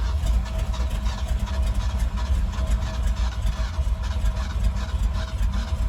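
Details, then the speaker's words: 1975 Ford F250 FE 390, 4-speed 4x4, cold start after sitting 30 years, cylinders full of transmission fluid, mismatched replacement plugs: low uneven chuffing with misses, barely running; owner guesses stuck valves, fuel pumping out of carburetor, fireballs. "I'm going to guess valves are stuck. The way it's pumping fuel, it looks like it's out of the carburetor and shooting fireballs and things of that nature."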